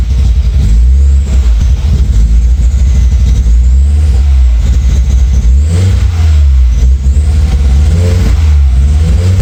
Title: Rebuilt 1.8t misfires